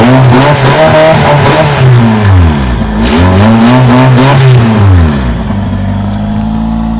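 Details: Prelude with a bad exhaust leak: a raspy, puffing chuff rides on the exhaust note as the engine revs up and down, growing with revs.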